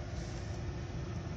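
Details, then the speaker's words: 2008 Hummer H3 engine idling with a deep, uneven, lumpy rumble and vibration from an engine misfire, before scanning for fault codes. "हमर H3 और इसमें आ रही है missing. Engine vibration आ रहा है और चेक करेंगे अभी कि इसमें फॉल्ट क्या आ रहा है।"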